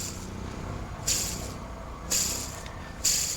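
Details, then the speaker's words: Peugeot 406 V6: auxiliary (accessory) belt idler roller not yet wobbling but noisy, with gritty hissing rasps about once a second from a weak bearing; to be replaced with a used pulley along with the belt. "Then the auxiliary belt roller, it hasn't started wobbling, but it has become noisy, as you can see. You can hear."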